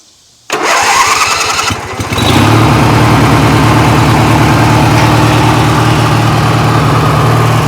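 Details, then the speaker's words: 1980s Sears Craftsman II garden tractor, Briggs & Stratton 18 hp twin, after carb clean and new starter, cold start on choke: starter cranks about 1.5 s, catches and settles into deep, even, Harley-like throaty idle; normal cold start. "really like this Briggs and Stratton twin as you can hear that thing is it almost like it sounds like a little Harley uh pretty cool man nice and low"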